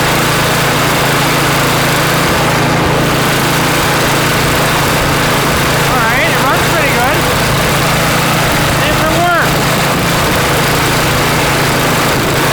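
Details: Customer snowblower after cleanup and reassembly: small single-cylinder engine holds a steady even putter, no surging or misfire; running cleanly.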